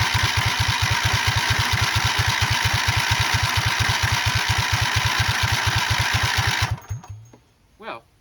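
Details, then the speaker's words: Racing lawn mower freshly swapped to a 20 HP OHV V-twin, choked, first crank: steady even cranking chug about two beats a second for six seconds, never catching; fuel reaches the carb but it won't start, cause unconfirmed. "it absolutely pulled fuel. The fuel came very full into there. It did not start though."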